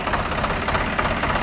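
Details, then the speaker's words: Swaraj 744 FE tractor after gearbox repair for noise in all gears under load: even diesel idle thump with no gear whine, grinding or clunk on trial; gearbox quiet and healthy. "ఏం sound ఏం లేదు right"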